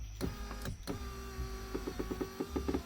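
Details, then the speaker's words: 2015 Lincoln MKX flood-damaged vehicle, power window motor test: steady motor whir with light gear clicks as the window drives normally; motor works, window only needs a calibration procedure, no replacement needed. "Um I did find that out, but the motor works."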